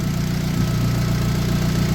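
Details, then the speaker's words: Turbo Honda making 300 lb-ft of torque yet factory-smooth, idling after an earlier smoking-and-dying episode blamed on a suspected piston or ring problem; steady, even idle with a firm low hum, no stumbles or misses, running cleanly. "This thing is like factory, but it makes 300 foot-pounds of torque."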